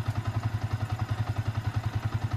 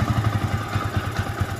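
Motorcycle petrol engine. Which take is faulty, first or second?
second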